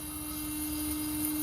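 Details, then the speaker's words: Weber Genesis II GS4 gas grill propane regulator humming steadily with vibration, with erratic burner flame and two burners not lighting, sign of a failing regulator diaphragm. "hear that humming? Now that's not always bad. Hear that? It's got quite a bit of vibration. They'll do that, but if they do it with an erratic flame, chances are it's the regulator."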